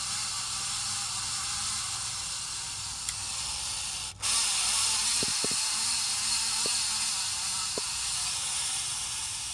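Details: 53" Casablanca Spirit Of Saturn ceiling fan running with a steady airy hiss and faint ticks from worn motor bearings; audible beeps also not heard; sent in for bearing replacement.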